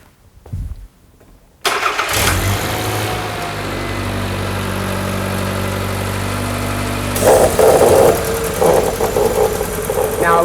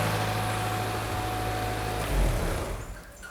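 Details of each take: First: Engine idling evenly, then a sharp airy hiss joins as a vacuum leak is deliberately induced; a leaking vacuum line hisses and can cause lugging, poor gas mileage or overheating. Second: Petrol car engine idling normally with a steady low hum, no vacuum-leak hiss, after an induced leaking vacuum line was fixed during a tune-up.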